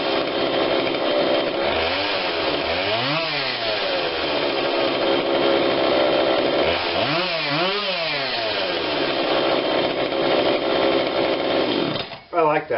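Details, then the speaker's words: Husqvarna 142 40cc chainsaw, long unused, after repair and carb tune-up while warm: crisp revs climbing and falling cleanly with no stumble or bogging between blips; low adjustment seemed unneeded; normal running. "much better i can't seem to get it into this side for some reason but it doesn't seem to need a low adjustment now i'm not going to force it i think it runs really good considering what it is"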